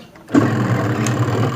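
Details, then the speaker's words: Polytron front-loading washing machine converted from digital to manual control after its original machine burnt out: the motor switches on with a soft thump, runs normally in both directions with a steady, even low hum. "Oke, seperti itu, Teman-teman ya. Nyala ini lah. Ini bisa ke kanan dan ke kiri."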